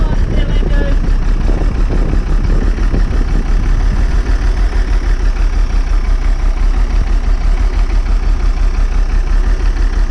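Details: Old bus diesel, cold start after last week's fuel pipe move, started without easy start: deep idle with heavy, slightly uneven thump and occasional stumbles, smoking cold; air drawn into the fuel.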